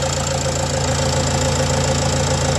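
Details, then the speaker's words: Renault Trafic 2 phase 2 2.0 dCi (M9R 780) diesel, after replacing a faulty PCV valve that caused lack of power and high fuel consumption: even, steady idle with smooth low rumble, far fewer low-rpm misfires, engine noise noticeably improved. "Alors petite impression après le changement de la valve PCV, donc le véhicule fonctionne vachement mieux, il y a beaucoup moins de dératés à bas régime,"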